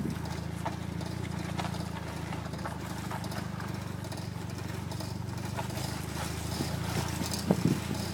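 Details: Toyota MR2: repeated clicking from the driver's front wheel over a low engine hum while turning left; cause unknown.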